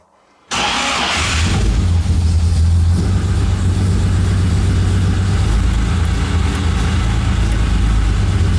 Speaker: start so there we go so it is working